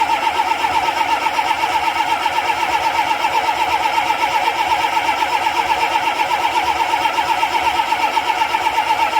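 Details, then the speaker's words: Ford 7.3 IDI diesel with its glow plugs deliberately disabled: even cranking at about four compressions a second that never catches, since there is no glow plug heat to fire it. "all right that was our our 7.3 IDI Diesel and what I did is I disabled the glow plugs so it's trying to crank well it is cranking and it wants to start but there's no glow plug to produce the heat in there"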